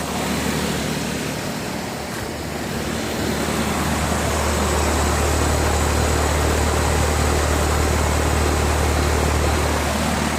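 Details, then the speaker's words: Newly replaced Comfortmaker condenser unit at first run: steady low compressor hum under an even fan whoosh with no rattles or knocks; normal condenser operation. "nice and quiet alright guys I'm going to let it run while I pick up all my crap over here"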